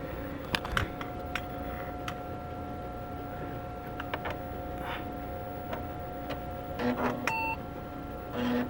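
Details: IBM Portable 5155, powered on and working first time: steady fan and CRT hum, then one short clean POST beep; self-test passes and it boots normally.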